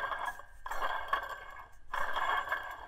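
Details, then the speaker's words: Removed water pump from a 4.7L WJ Jeep Grand Cherokee, spun by hand: gritty, rattling scrape in three bursts from a worn bearing; not leaking yet but would have failed at the seals. "you hear that hear how nasty that sounds and and you shouldn't be able to do that so this one wasn't leaking yet but eventually it would have eventually the bearings would have got so bad"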